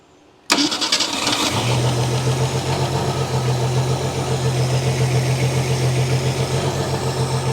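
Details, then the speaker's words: 1971 AMC Gremlin, sitting since about 1984, first start with the fuel pump working: catches, then idles lumpy with a cold-start miss. The owner wonders about a blown head gasket or the old plugs, wires, cap and rotor; the engine is steaming. "Got a miss when I first crank it. I wonder if it's a blown head gasket or something. But then again, old plugs, old wires, old cap, old rotor, old everything."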